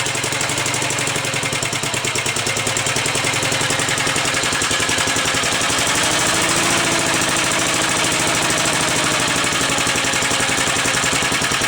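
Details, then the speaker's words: 1945 Gravely Model L, single-cylinder, at its first startup, strap-started because the starter cranked too slowly. It has fresh oil and bled oil lines, and runs warm with no smoke. Even, quick putting beat with no misses or stumbles. Normal idle. "all right not bad 45 is run I think runs nice that's for sure"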